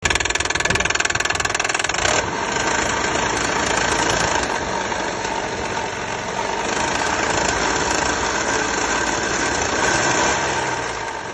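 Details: Hyundai/Kia 3.5 G6CU V6 engine at idle: sharp, regular metallic knock about four times a second from inside the engine.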